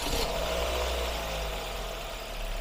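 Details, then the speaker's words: Classic Ford Focus 1.8 four-cylinder petrol, hot, engine light on, lacking power: heavy lumpy uneven idle with shaking from misfires in cylinders 1 and 3; water found in the coil wells damaging the ignition coils. "现在可以看到这个发动机在叫杆然后整个车也抖得厉害所以说刚才加油门的话通通通通没劲然后上个坡都费劲啊现在的状态就是整个发动机特别抖主要报的一缸和三缸"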